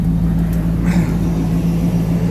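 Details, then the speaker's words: 1973 Ford Maverick restomod, fuel-injected 302 V8 with cold-air induction, just started, idle calming to around 800 rpm with almost 60 psi oil pressure. Deep, steady exhaust rumble with no ticks, misses or surging: normal idle. "It's fuel injected, so you don't have to touch the gas. And the idle will calm down. There it goes."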